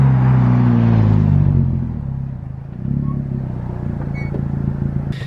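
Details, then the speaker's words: Girlfriend's straight-piped car, recorded from inside the cabin where it seems not that bad, though outside it sounds terrible; deep booming rumble with a raspy edge swells on the rev and settles back, no muffler. "honestly doesn't sound like that bad in here I don't know how it sounds like camera in here"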